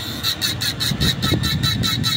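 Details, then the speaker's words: Rechargeable mini fan with a cooling filter runs but is noisy: a harsh rhythmic scraping rasp, about seven strokes a second, from the fan blade rubbing its housing because of a dislodged motor bearing. "So ang problema pala nito ay maingay. Gumagana naman nito mga ka-bs pero maingay."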